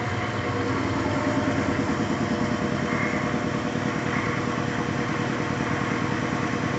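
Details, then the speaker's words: New larger shop air compressor replacing a 30 gal Sanborn direct-drive unit: even steady hum with a soft regular pulse about three per second, no knocks or squeals, surprisingly quiet; normal running. "okay big surprise i thought this thing being much larger was going to make a lot more noise it's actually really quiet"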